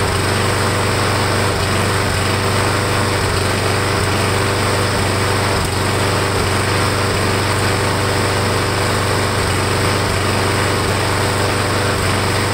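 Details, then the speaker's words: Briggs Quantum engine with primer built into a warped air filter base, after repair attempt: small engine holds a steady high buzz, briefly bogging at each primer push, showing the primer now works and fuel reaches the carburettor. "I'm gonna start it up and keep pushing the primer, see if the engine will bog down, see if it is working."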